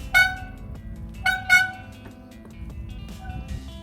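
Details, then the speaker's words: Mountain bike hydraulic disc brakes giving loud horn-like squeals in bursts as they bite. The cause is a dirty disc or pads, or oily cleaning spray contaminating them; the fix is cleaning with disc brake cleaner. "Hi guys I'm Lory Bart, today I'll show you how to get rid of that annoying noise on hydraulic disc brakes then I'm on the bike, hear noise"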